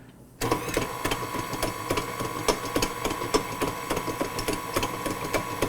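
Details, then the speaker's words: New KitchenAid 5-quart tilt-head stand mixer, empty bowl, beater shaft with no spring: steady motor hum with irregular sharp knocks about once a second as the floppy paddle hits the bowl. Loose beater because the shaft spring is missing. "a lot of banging around on there yeah it's hitting the bowl and there's no ingredients in there but listen to how floppy that sounds versus this"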